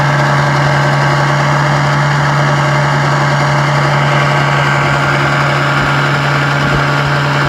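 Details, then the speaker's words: Restored 1956 Johnson 7.5 hp outboard on a 14 ft jon boat at about 10 mph on a lake test run: steady mid-pitched drone with a buzzy overtone from a hood rattle, caused by missing rubber grommets; runs great. "what the heck is that hood riddle all about i mean she runs great let's see what's going up on underneath here oh yeah i see what it is we're missing some rubber grommets that fit into right here"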